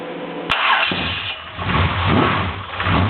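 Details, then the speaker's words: Cold start of a JMacPerformance 383 small-block Chevy 4x4 truck engine: 9:1 compression, 650 Demon carb, Edelbrock RPM manifold, small Comp flat-tappet cam, HEI, headers with Magnaflow mufflers. Quick crank, instant catch, then a deep, even rumble with throttle blips. Runs smooth even with the cam; still a little cold. "get a little heat in it you tell it runs really smooth even though it has a cam shaft in it got to get it warmed up just a little bit still a little bit cold"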